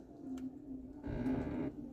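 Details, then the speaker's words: Hyundai Creta, shop says it needs lubrication and cleaning: low groaning moan swelling for about a second as the air conditioning flap reverses; dry, binding flap door. "isso é a portinhola do ar condicionado que é justamente quando ela faz esse reverso aqui ó"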